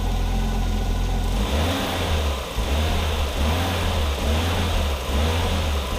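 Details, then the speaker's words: 1987 Audi 5000 CS Quattro turbo, CIS fuel system, first start after fuel injector replacement: steady even idle with clean smooth rev blips, no stumble or misfire; no longer stutters for the first 15 seconds; runs much smoother, injectors seem to fire evenly. "i have to say this thing runs a lot smoother and when i turn it on it doesn't do that stuttering in that first 15 seconds it feels like the injectors are all firing at once and have the same fuel pressure"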